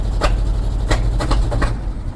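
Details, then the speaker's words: 1976 Jeep J10 truck, 401 V8, full-time 4WD, sitting 29 years, started by jumper: lumpy low idle broken by several sharp cracking pops through the exhaust, a backfire. "What is that? Oh, that's a backfire."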